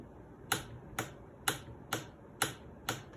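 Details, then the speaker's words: Mercedes W210 E-Class seat frame clicking under acceleration or braking: six sharp, bright clicks about half a second apart as the frame rocks, from play developed in worn pivot joints. "a very common issue with these under acceleration or breaking you get a clicking noise from the seat I'll show you why"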